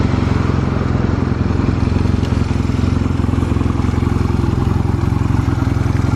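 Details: Stored Honda Rebel 250 Special (MC13) motorcycle at a start-up check, with an even, steady low idle, a regular pulse and no ticking, knocking or rattle. Normal idle, no abnormal engine noise.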